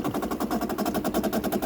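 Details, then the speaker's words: 2008 Bosch dishwasher, about 12 years old, at the six-minute mark, water still entering when it perhaps shouldn't: rapid buzzing rattle about ten pulses a second; inlet valve chatter, water keeps flowing even when paused, seemingly fixed by replacing the valve. "so my guess is that water is coming in perhaps should not be at this moment"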